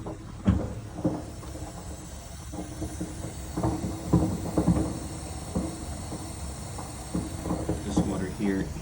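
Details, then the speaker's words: Four-year-old water heater full of calcium, never serviced yearly: irregular pops and crackles over a low rumble from sediment scale in the tank; expected to fail within a year. "This is what your water heater sounds like when it's full of calcium and it hasn't been serviced yearly."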